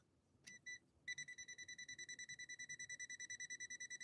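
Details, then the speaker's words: Sewing machine from London on a step-up converter at about 200–230 volts, tester on incoming power connection: shrill even beeping about two and a half per second after a short false start; live voltage detected, good connection. "we know it's a good connection because we're getting an electrical response from this tester"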